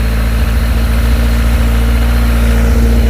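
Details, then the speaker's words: Rover K-series engine in a Skoda Estelle 120 project car: heavy idle running on three then four cylinders, irregular sharp exhaust pops and stumbles, spitting flames from unburnt fuel; misfire. "Right, as you can hear, that's on 3 cylinders. Moved on to 4. been run for a while. Interesting noises. Well, that's chucking unburnt fuel down the exhaust, I reckon."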